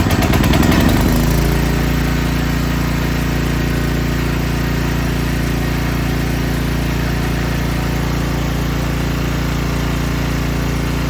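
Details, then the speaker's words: Small generator after pull rope replacement, unrun 6 months, choke on; starts on first pull, flares briefly, settles into smooth even single-cylinder drone at constant speed; normal idle. "that's crazy first pull I have never had anything start on the first dog on pull 6 months since it's been ran"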